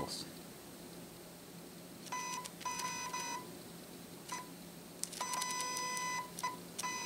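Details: Shanny SN600N flash woken from sleep and zoomed in and out: short bursts of thin high buzzing from the zoom head motor reaching about 45 dB on the meter; normal zoom motor noise.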